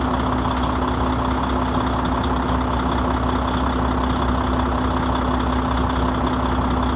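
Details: Volvo FH16-660 truck diesel at 1,150,000 km and 27,250 engine hours, with injector sleeves and flywheel replaced and the engine unopened. First start in two months: a steady, even idle with a low hum and no knocks or misses. Normal idle.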